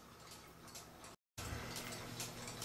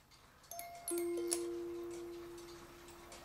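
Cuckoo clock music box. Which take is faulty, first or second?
second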